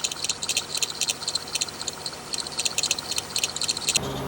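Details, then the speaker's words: 2008 Toyota Highlander V6: fast, shrill chirping from the belt area, about four a second; spraying the tensioner pulley quiets it, confirming a worn tensioner that needs replacement. "hey what's up everyone I'm working on a 2008 Highlander and it's the V6 and you can hear the noise coming from one of the pulley"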